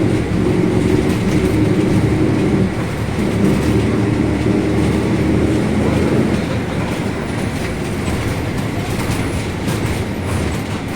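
Steady low droning hum rides over the road and rail-like clatter while cruising, pointing to a worn, loudly roaring rear differential.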